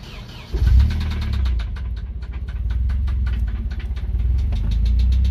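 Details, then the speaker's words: Nissan 240SX engine, blown while drifting in the desert, started after adding a little oil: catches and idles with a loud, sharp metallic knock beating about six times a second; engine swap or rebuild planned. "i'm just knocking in there time for a swap maybe"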